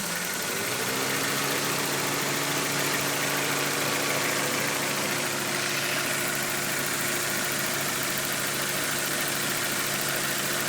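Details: Well-built, run-in, warmed-up Toyota 4A-GE twin-cam four revving: revs climb quickly and hold a crisp even high note with no knocks or rattles; normal revving.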